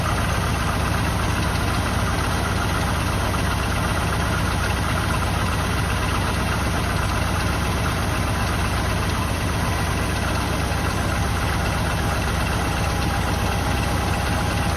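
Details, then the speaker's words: 1984 Jeep Wagoneer V8, just revived: steady low throbbing idle with a slightly uneven beat; rough idle, cause unknown; owner thinks a worn belt on loose alternator belt and rough pulleys may be heard. "oh yeah it's not the best running thing in the world but we can we'll figure out what's going on with it"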